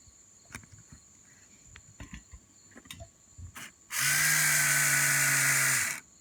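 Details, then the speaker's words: Mercedes-Benz W126 S-Class passenger-side power mirror, after disassembling and repairing the stuck internal gear motors, bench test run: two-second burst of steady, even electric whir with clean buzz, starting and stopping crisply; motor works. "I'm gonna give it one more try run and I should have a functional mirror in a moment"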